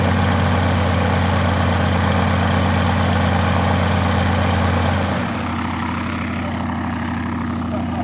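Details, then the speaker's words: Rotec R2800 radial engine on an Aerolab LoCamp prototype airplane, first start after long-term storage and reassembly, fuel pump on: steady, even low drone with a smooth beat, no misses or knocks; runs clean and healthy. "Sounds great. Wasn't that something? After all these years of sitting and never having the thing done with it?"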